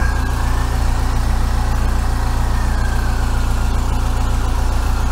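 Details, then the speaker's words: 1987 VW T3 camper with a TDI diesel engine, idling after a compression test with two injector pipes removed and refitted: lumpy, uneven beat around 150 a minute; rough while air bleeds out of the fuel lines. "t up now anyway it'll sound like a sack of hammers for a minute because the uh uh two fuel pipes were off so it'll take a few seconds for them to bleed out but they will they'll do it under around when the engine's running"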